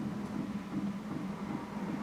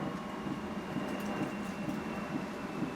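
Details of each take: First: Airstream Rangeline Timberline heater fuel pump after a noise-dampening mod: soft regular ticks, a few per second, over a steady heater hum; quieter than before but still plainly audible. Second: Airstream Rangeline van's Timberline heater fuel pump (runs on unleaded), heard after fitting a noise-reduction enclosure: steady soft ticking about two to three a second over the heater blower hum, substantially quieter than before but still very noticeable; normal pump ticking.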